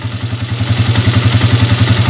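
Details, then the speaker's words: TMX125 Alpha single-cylinder motorcycle engine converted to 150cc, idling with a rapid metallic ticking clatter from inside the engine and a rough run, before teardown for a 175cc conversion. "ang maririnig niyo dito may maingay oh ayun oh Pag naka-idle may maingay mga kaabo"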